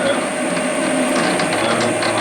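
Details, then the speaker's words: Schaublin lathe parting off a variator shaft: harsh uneven ratcheting chatter with high ringing squeal over the cut — parting tool chattering, attributed to poor rigidity; finished with a hacksaw instead. "I don't like this sound. Okay. Yep. Not very good. Why did it do that?"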